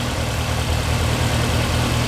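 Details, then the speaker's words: Lancia Delta race car engine rebuilt after a front-end catastrophe, fresh serious cams: short stretch of even steady idle, firm low beat, no knocks or misses; runs smoothly. "did I say it runs very nicely very smooth it's not bad there's a little bit you can see things moving but that's um that's got some pretty serious cams in"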